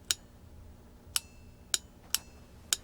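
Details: SAE Mark IIICM amplifier speaker-output protect relay, coil run through a 220-ohm series resistor: crisp single clicks about once a second over a quiet hum; relay pulls in cleanly and sounds healthy.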